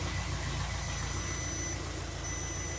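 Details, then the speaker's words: VW Caddy 1.9 TDI diesel DSG, just restarted after turbo change with fuel lines undone: settled diesel idle, steady clatter about three to four beats a second, even; running fine, not chuffing. Normal idle. "We just need to clean it all out. Like, it's running fine. The thing is, it's not chuffing,"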